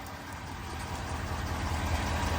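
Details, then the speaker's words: 2021 Ford F250 6.7 Powerstroke turbo diesel started after fuel filter replacement and five key-on priming cycles: even idle clatter that firms up, no misfire or knock, a squirting noise as fuel still filters through, no leakage; normal. "It's still making like a squirting noise, so I'm so sure it's still filtering through there. But it sounds good, no leakage."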